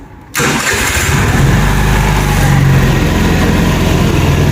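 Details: 50cc fuel-injected Cappuccino 50 scooter (new body) after repair of fault light and stalling-on-throttle issue and restored kick-start wiring: catches immediately, steady even putter idle with no misses or knocks; healthy.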